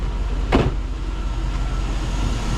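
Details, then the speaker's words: 2004 Chevy Silverado idling after a fuel pump replacement: steady, even low rumble with no knocks, misses or hunting after one brief clunk. A check engine light is on, possibly a MAF code from the air cleaner being off; normal idle. "But it's running, we're in good shape."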